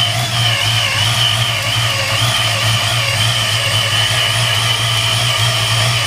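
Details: 1993 Mustang Cobra V8 with a just-installed used Vortech V1 S-trim supercharger: loud high whine wavering over a lumpy idle, with a rough edge the owner suspects is a bad bearing, unconfirmed.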